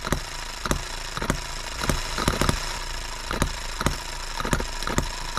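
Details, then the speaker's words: Repaired H73 small engine on an endurance run in a 100 °F shop: holds a steady, even drone with no hunting, surging or misfire, improving with each run; normal steady running. "i have ran this every night and the more i run it the better it's getting"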